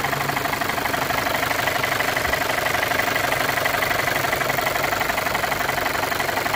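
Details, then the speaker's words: Audi A4 1.8T (B8), hard to start, lumpy and misfiring from auction: fast even light tapping about four a second from top of engine over rough surging idle; mechanic suspects a timing fault, normal running not confirmed. "But you can hear definitely that sort of tapping. Not knocking really, it's more a tapping at the top of the engine. So I think that mechanically there's something wrong with the timing on this engine."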